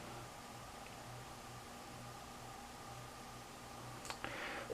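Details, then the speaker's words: 52" Canarm Victorian ceiling fan, floor-tested on low speed in a quiet room: a faint, steady low motor hum with a thin higher tone above it. The owner says it hums but is not too bad, and it gets noisier on medium. "we just s it on low has a hum but it isn't awfully that"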